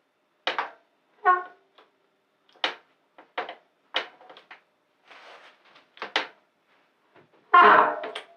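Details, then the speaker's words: E-bike disc brake after bleeding: about eight short honking squeals in eight seconds, one per hard lever squeeze; owner thinks it's a bedding squeak, possibly contamination if it persists. "That was a squeak that I get when I go fast and I try to stop with that. I think that is the bedding squeak."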